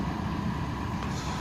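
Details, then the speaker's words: 1997 Chevy Tahoe 5.7 Vortec V8 after fuel pump replacement (previously lean, low fuel pressure, sputtering above 3000 rpm), at −10 degrees warming up: steady, even drone with no stumble or surge, revs cleanly; normal running. "after James in the fuel pump there's no issues with that it revs up real nice"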